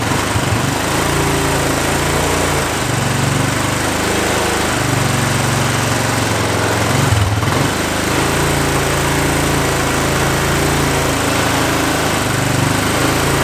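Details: Single-cylinder quad started on choke in the shop. It thumps unevenly, wavering and stumbling every few seconds. Fuel has flooded the crankcase and it runs rough; it is smoky, blowing oil out the exhaust, and the owner thinks it needs a rebuild.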